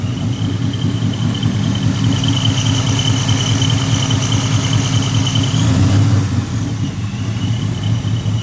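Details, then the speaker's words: 1999–2004 Ford Mustang GT at first start after installing a Vortech V2 supercharger with 4-inch intercooler. A steady run with a high supercharger whistle carries an uneven loud fluttering pulse. The owner first thought it came from the head unit, not the blow-off valve. Cause: the blow-off valve had a disconnected vacuum line. "Sounds pretty dope, but we hear this loud fluttering noise, and I don't think it's the blow-off valve because it sounds like it's coming from the head unit."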